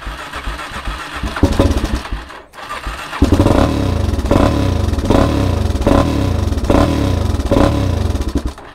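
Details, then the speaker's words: ATV/dirt bike starting with choke about halfway and no throttle: it catches and chugs unevenly, sputtering for a few seconds, then dies. Starts but won't keep running; owner troubleshoots fuel, air and spark, starting with the spark plug. "she doesn't stay running though anyways i'm going to ruin the starter i'm going to ruin the battery if i don't stop"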